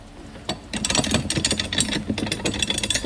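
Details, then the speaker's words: 2003 Cadillac CTS: loose metal-on-metal clunks and rattles each time the gear shifter is moved, from a worn shifter linkage bushing. "it's either like metal against metal clinging clunking clanking whatever you want to call it is rattling it sounds like this"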